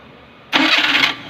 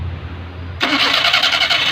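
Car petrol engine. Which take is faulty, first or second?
second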